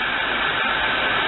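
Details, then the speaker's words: 1998 Buick Riviera 3.8L supercharged V6 just after valve cover gasket replacement: steady, even rush on fast idle with no knocks, misses or surges; no leaks, running smoothly. "Still on fast idle. Everything looks like it's good."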